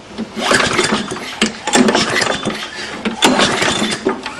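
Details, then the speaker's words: 6 hp Briggs & Stratton on a Murray mower, muffler removed: uneven pull-start cranking with a raspy "chch" chuff each exhaust release; poor compression from a burnt exhaust valve. "the way you know for sure I took the muffler off just to make the sound more obvious is the chch sound every time the exhaust releases"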